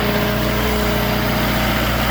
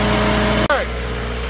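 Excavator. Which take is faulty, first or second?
first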